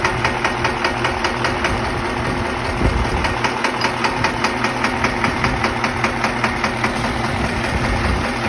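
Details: Diesel engine at idle with a sharp regular knock about two and a half times a second; a faulty injector is to blame for the knock.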